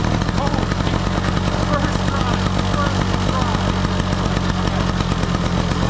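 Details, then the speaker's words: Small two-stroke snow blower on 50:1 mix runs at a steady, even buzz with no surging after cleaning the clogged jet at the bottom of the carburetor; fixed, normal running. "we got it working baby oh all it was was that little uh jet down in the bottom uh very easy to clean out this took me maybe half an hour max"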